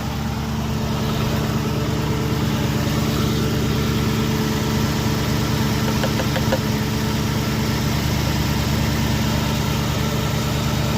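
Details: Body-swapped 1981 Ford F-150 on a 2010 Crown Victoria P71 Interceptor chassis, idling after the power steering line was replaced and the system bled, no leaks found: smooth, even idle with a steady low hum and no misses, knocks or squeals; normal idle.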